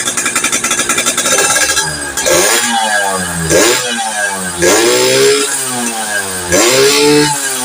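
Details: Yamaha FIZ R two-stroke motorcycle with reed-valve intake, spark plug swapped to standard, crankcase compression leak and pulser suspected: revving in blips, crackling and popping irregularly instead of clean pickup; misfire and popping, cause not yet pinned down.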